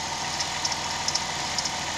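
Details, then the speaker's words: Pickup truck whose drive belt squeals whenever it gets wet. After spraying the belt, it idles steadily with only faint ticking and no squeal. The fix is described as temporary; normal idle, no belt squeal. "está se cayó se cayó el ruido Como digo es temporal"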